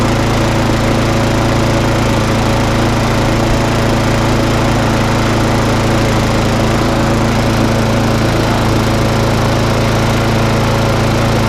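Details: Briggs & Stratton mower that failed to start and ran very rough on bad fuel, run outside after a quick repair. The single-cylinder runs fast and fairly steady with an even buzzy beat, no misfire or surging, so it is running normally.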